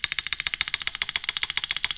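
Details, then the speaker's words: Rapid, bright clacks about thirteen a second with a thin rattle: the space bar on a KBD67 Lite keyboard modded to plateless vibrates and jiggles in the case with no plate, sounding cheap; the board isn't designed for plateless. "let's get the space bar okay this is where you definitely hear the vibration because there's no plate that sounds cheap"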